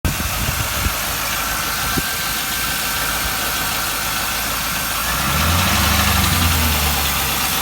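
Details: 1998 Camaro Z28 V8 with a Borla muffler at idle: a light, steady tick a few times a second over an odd, rough exhaust burble. It has a known header exhaust leak and a cylinder 1 misfire code despite new plugs, new wires and swapped coils; owner suspects a lifter or rocker arm.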